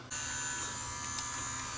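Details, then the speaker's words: Sony DCR-TRV530 Digital8 camcorder playing a Digital8 tape, head drum at 4500 RPM instead of 1800; loud steady high-pitched scream over a buzzy whir; owner suspected a failing drum bearing; cassette lid rubbing the drum. "we'll just throw a digital eight tape in just so you can hear how loud it's going to get but it sure sounds like the bearing itself is on its last legs"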